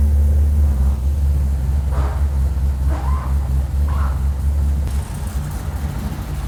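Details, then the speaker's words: Lexus IS200 with an LS V8 conversion, idling after first start: deep, even, steady rumble with no knocks or misses. Oil and fuel pressure are good and coolant temp is climbing. A clean, healthy idle. "that started pretty easy sick thanks dave got oil pressure fuel pressure they're both looking pretty good"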